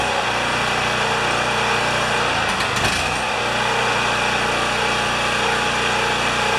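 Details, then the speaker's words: Champion 3000-watt generator, previously reported as not starting, after an air filter and 500 ml oil service: steady even drone with no misses or surging; running normally. "okay this generator tested good the other day I don't know if it got many hours"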